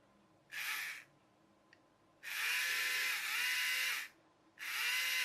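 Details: Small motor from a disassembled charity-shop toy electric train, bench-tested for rotation direction via its brush contacts: three short bursts of high buzzing whine, each rising as it spins up, smooth and even. Motor runs freely.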